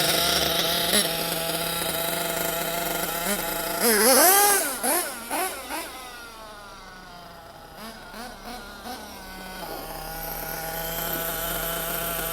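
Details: Nitro RC car engine warming up on the floor, air filter not fitted: high-pitched steady buzz revving up and down in clean quick sweeps without stumbling as it gets warm; normal revving.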